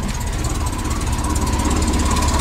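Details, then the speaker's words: VW Type 3 air-cooled flat-four with automatic transaxle, just reinstalled, carburetors not yet balanced: steady, even idle, all cylinders firing, much quieter than before; normal idle. "right well it's running again and it sounds like it's all cylinders this is good"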